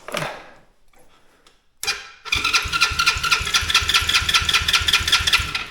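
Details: Tao Tao Chinese quad that wouldn't start: cranking catches after a pause, then settles into a steady quick putter around two beats a second; starts and idles normally.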